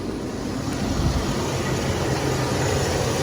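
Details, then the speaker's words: 2001 Chevy Express van, 4.3 V6, ran very rough after sitting nearly 3 years; after replacing spider fuel injector, ignition coil and distributor, warm idle after 30 minutes is steady and even with smooth low hum, no sputter, shake or service engine light. "okay guys it's been about 30 minutes man sounding real good there ain't sputtering no more man that thing is running hurt like a kid now no shakes no nothing"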